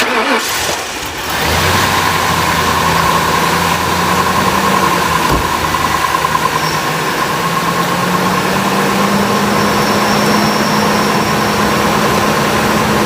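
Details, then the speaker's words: 1998 Ford Expedition, a former police SUV, after replacing the idler pulley, both belt tensioners and the serpentine belt: steady, even idle with a smooth belt drone, and the earlier chirp under the hood is gone. Normal idle. "now as you can tell in the previous clip the noise that was chirping at the beginning of the video is now gone and that's because we did replace that idler pulley"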